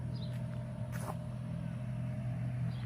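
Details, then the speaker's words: New 36,000 BTU TOSOT heat pump outdoor unit heard from about 15 feet away. Only a soft, steady low hum under outdoor ambience; it runs quietly and normally, barely audible. "So I'm standing maybe about 15 feet from the unit, and it's quiet. You probably can barely hear it."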